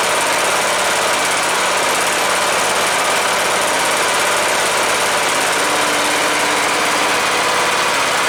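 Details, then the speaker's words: Cub Cadet LTX 1045 Kohler Courage single-cylinder engine after counterbalance repair for knock caused after running with no oil, fresh oil: steady constant-speed run, no knock or rattle over exhaust; normal running. "Cool, it was just the counterbalance thing I was screwed up. As long as those screws stays in."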